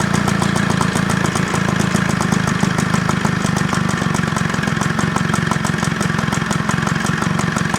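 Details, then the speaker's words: Job-lot hover mower, fuel tap found off and reopened, restarted on choke: idles tired with a fast, slightly uneven beat that hunts and sags, not hovering; not getting enough fuel, so fuel tap adjustment and carburettor clean planned. "Little idle. Bit tired. Carburetting he's doing, but it's running."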